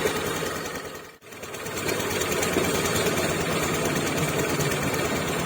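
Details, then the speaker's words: 2020 Honda Beat Deluxe scooter before ECU remap, fuel pump pressure steady at 40–45 psi: fast, even pulses at one speed that won't rise with throttle, with a brief stumble; opening the throttle makes it die. "ini RPM enggak bisa membesar lagi sementara di bagian full Pum itu tetap stabil"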